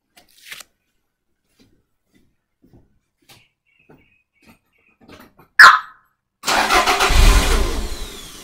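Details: Toyota MR2 with a start-then-stall fault, fuel pump pressure confirmed OK: after a short crank the engine catches and roars briefly, then fades within two seconds; it starts and stalls, cause still under diagnosis.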